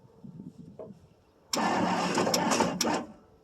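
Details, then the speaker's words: 1963 Ford Thunderbird, 390 four-barrel, unstarted about 3 years, cold start with fuel poured on the carburetor: a short 1.5 s crank with no catch; turns over but won't start, owner suspects it needs more gas. "Maybe she needs a little more gas down the old carb there."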